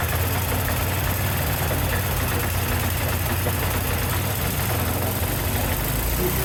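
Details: Yard-Man snowblower after replacing the carburetor, spark plug and primer bulb, first start: small single-cylinder engine running steady and even with no knocks, surging or misses; revived and running cleanly.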